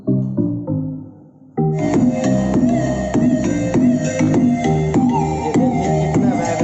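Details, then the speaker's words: Home theater after bass repair with a new IC soldered in, on Bluetooth: music plays cleanly with full, solid bass and no crackle or distortion. Everything works properly; normal sound output. "Proper work कर रहा है सब कुछ। The Bluetooth device is connected. Base भी इसका अब अच्छा आ रहा है।"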